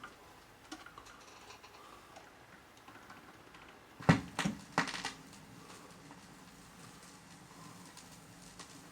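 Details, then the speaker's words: Restored Garrard AP76 turntable playing a record through amplifier, grounded; soft scattered ticks and pops over quiet hiss, a few louder crackles, scratches heard on both channels; ordinary surface noise, deck working normally. "Can hear that on both channels. The scratches."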